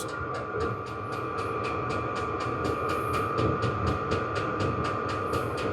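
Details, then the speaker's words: Vevor 8 kW 12 V diesel parking heater, set to 20°, heard about 1 m away (about 71–72 on the meter): steady fan roar with crisp pump tick about twice a second; normal running. "now it looks like it makes a lot of Mone noise but this diesel heater is not making that much noise"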